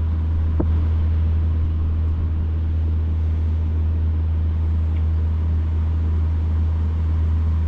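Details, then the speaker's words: Older Amana PTAC hotel-style air conditioner set to cool, previously not blowing cold with the compressor silent, during a capacitor change: rotary compressor finally kicks on with a steady low, smooth hum, no knocking or rattling; running normally. "There it goes. I just heard it. Yes. I don't know if y'all can hear that now. That's a rotary compressor. That's what they sound like."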